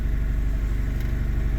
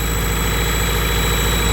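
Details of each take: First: whoa it's idling normally ish it isn't warmed up though so that might just be the fast idle steam coming off I'm hoping that's just cooler that could just be the high idle Second: Honda Prelude idles steadily but too high, around 1500 rpm earlier. It keeps running even with the intake fully sealed, so a vacuum leak is presumed, location unknown.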